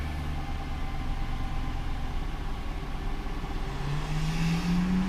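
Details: 2001 Chevrolet Silverado first start after head gasket replacement: engine catches and settles into a steady low rumble, even beat, no knocks or ticks; good oil pressure, some initial smoke expected after the job.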